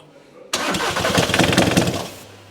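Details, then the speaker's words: VW Caddy diesel, 490,000 miles, cranked with starting spray: about a second and a half of uneven chuffs that never catch, air blowing back out the intake manifold. Cranking no start, suspected valve timing or blocked exhaust. "so with Inlet manifolds one or more cylinders are taking their in through the inlet manifold another cylinder is taking air out the manifold the intake"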